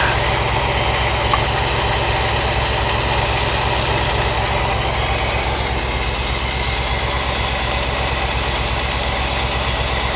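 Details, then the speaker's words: 1963 Ford Galaxie V8 with a new distributor, new intake and a repaired used Holley carb, timing set to about 10 degrees and idle lowered: low, settled, even idle. Idles smoothly and the lifter tick has gone. "there's that idle's a little high now there's the adjustment right here by Seattle just not lowering it there we go that's a reasonable Idol"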